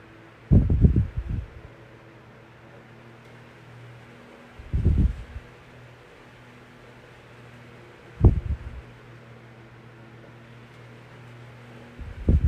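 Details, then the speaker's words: Vintage 1982-83 9-inch Galaxy fan after its motor was oiled. It gives a steady, even low hum and spins freely, though the motor slows slightly when oscillating to one side, less than before oiling. "I'm not exactly sure what that's all about when the motor kind of slows down when it turns to his left your right and then uh yeah it's pretty good"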